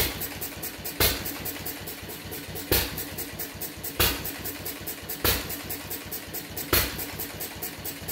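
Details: Fuller and Johnson hit-and-miss engine on first run after cleanup, battery and 6-volt coil box, started with a little choke: sharp bangs every second or two at uneven gaps, coasting ticks between; owner suspects too rich, plans checking mixer and RPM.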